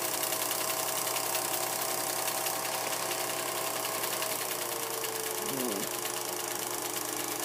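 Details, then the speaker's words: Vintage Kodascope Eight 90 8mm movie projector from the 1950s with huge fan, projecting film: loud steady fan and motor whirr with fast fluttering clatter of the film mechanism; noisy but running evenly, picture jumping. "huge fan I'm going to turn it on you're going to hear it it's crazy noisy"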